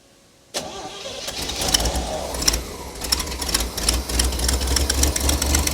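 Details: Vintage flat fender Jeep with Sniper 2 EFI and a new in-tank fuel pump tank, key turned without letting the pump prime first: quick crank catches at once and settles into a fairly steady idle with some clatter; normal start.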